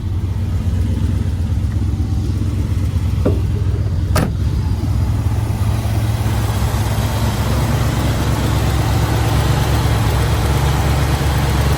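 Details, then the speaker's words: Unrestored 1966 Chevrolet Impala SS with matching-numbers 396 (325 hp) V8, Quadrajet carburetor and Turbo 400, fires right up: deep, even V8 burble at idle with a steady low rumble and a couple of brief clicks, a normal healthy idle. "And it's turnkey. It fires right up."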